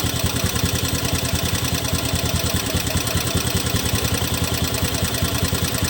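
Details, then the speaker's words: 2017 Honda Beat FI scooter after CVT cleaning: steady idle with a coarse, uneven pulse around 150 a minute, still sounding rough; cause not found. "Oke, ini sudah kita bersihkan ya kawan-kawan. Suaranya masih terdengar kasar."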